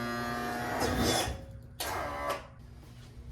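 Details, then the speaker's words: 2003 Yamaha 225 Vmax outboard on a Triton TR20 with a battery connected: steady electric motor hum rising and easing in short runs; tilt-trim motor works normally. "all right as you can see we got the tilt trim going"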